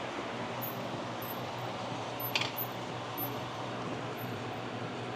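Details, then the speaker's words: Pontiac Solstice GXP, 2.0L LNF turbo Ecotec, long-dead car just given a new battery; faint steady high squeak repeating about every half second over a quiet hum; wipers were left on, wiper motor running. "Figured it out. Check this out. Our windshield wipers are on. Oh, that's a It's an amateur mistake there."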